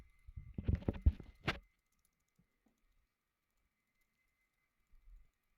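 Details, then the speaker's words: Unihertz Titan Pocket phone, noticed out of the box: quick burst of light plastic clicks when shaken, from volume rocker buttons not held down properly and wobbling in their slot. "So what happened is that the volume rocker, they are not held down properly."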